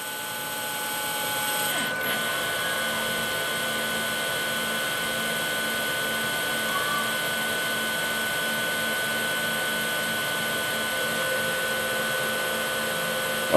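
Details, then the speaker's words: HP StorageWorks 1/8 tape autoloader drive rewinding tape into the cartridge, possibly slower than usual: steady whirring with thin high whine tones, PWM motor drive playing musical-note-like pitches as it speeds up. Normal rewind motor whine. "It may not pick up on camera too well, but you can actually hear like the PWM motor drive playing like musical notes, like as it revs up in speed."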